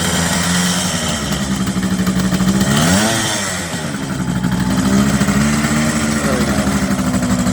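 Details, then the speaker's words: 1978 Kawasaki KH400 two-stroke triple, first start after long storage: lumpy, uneven beat with a missing pulse as revs rise and fall, running on two cylinders; middle spark plug first suspected, centre carb jet found blocked. "oh so at this point we realized it's only running on two cylinders so some tinkering was needed"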